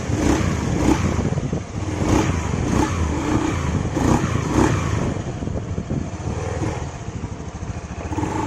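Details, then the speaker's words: Honda Beat FI scooter on a test ride after CVT reassembly: smooth pull-away and cruise, no rattle from the belt drive. The low-throttle "kletek" clatter is gone, confirming the worn CVT shaft (worn in the middle) as the cause, after repeated CVT cover bearing replacements failed to fix it. "Setelah kita tes jalan, suaranya langsung hilang ya. Berarti penyebabnya bener ya, di asnya ini aus tuh."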